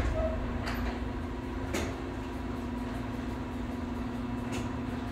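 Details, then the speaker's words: 1/2 hp garage door opener powered by APC Back-UPS 900 with 54Ah lithium battery, light bulbs removed: steady low motor hum with door clunks as it successfully lifts the door; running normally. "holy moly it lifted it holy moly i cannot make this up i took those light bulbs out and it worked"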